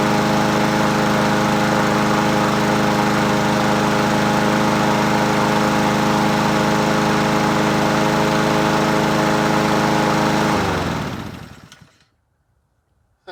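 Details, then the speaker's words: Husqvarna 7021P push mower with a Honda GCV160 engine and original OEM carburetor, unused for two years, after cleaning the plug: a smooth, even single-cylinder run for about ten seconds, then it winds down cleanly at shutoff. Normal running. "She sounds good. It's original OEM carburetor, baby."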